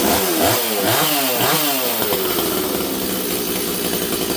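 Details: Rebuilt Stihl 026 chainsaw, already warm: revs saw up and down, then burble unevenly instead of screaming cleanly; carb deliberately set rich to four-stroke after it had been leaning out badly in the cut.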